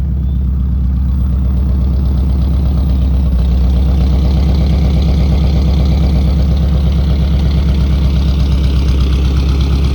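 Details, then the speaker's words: 1964 Buick Riviera V8, revived after sitting 23 years, warmed up with the idle raised, recorded at the tailpipe, charging at 13.2 V: a deep, even, steady burble with no misses. Normal, healthy idle. "that sounds sweet great all right sounds beautiful"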